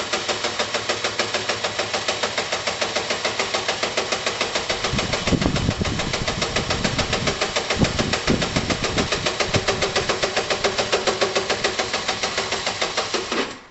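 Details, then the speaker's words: Chinese car engine idling: steady pulse about three and a half times a second with heavy clattery rattle, owner suspects the whole engine rather than top end is shot; heavy mechanical engine noise. "um yeah even if it starts that engine is shot i think i think you can kind of hear it it's very heavy"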